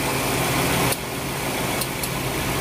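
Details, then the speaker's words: Suzuki Swift idling with the AC switched on: sharp, irregular crackling clicks over the steady engine hum. This noise is said to be typical of Swifts over six years old, with the AC compressor suspected. "jadi ciri-ciri yang bermasalah itu ya ini setelah kita hidupin ac-nya maka suaranya itu sudah Hai ke kayak gini ya"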